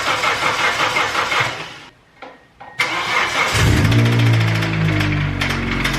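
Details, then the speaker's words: 2G Mitsubishi Eclipse: fires and settles to a rough idle with a steady knock about three per second. Rod knock or a collapsed lifter is suspected, not confirmed. "i don't know what that sound is it could be rodnock um i don't know i don't like it though"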